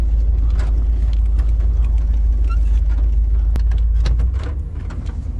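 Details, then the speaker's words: 1990 GMC truck with TBI 350 V8, driving in gear after a spark plug wire fault was found and taped up, having run on seven cylinders for weeks: deep steady even rumble with no stumble or skip; smooth running on all cylinders. "let me see how this truck feels when it's in gear Oh much better so much better I think I've been driving around on seven cylinders for a couple of weeks"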